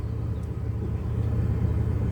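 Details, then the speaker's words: 2001 Chevy Blazer after replacing bad MAF sensor (P0103 code) with a used one, run 10 to 20 minutes: low, steady idle around 500-600 rpm, even beat, no stumbling, reaches operating temperature instead of dying out. "At first I couldn't even get nowhere near up to operating temp before it kept dying out. It wouldn't run, but now it's running steady."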